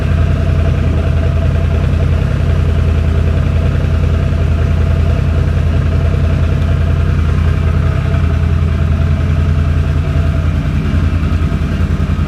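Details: 2006 Can-Am Outlander Max 500 ATV idling after a bad battery (no ECM communication) was replaced with a new 12 V AGM battery: smooth, steady low idle with an even pulse, no knocks, misses or hunting; healthy normal idle.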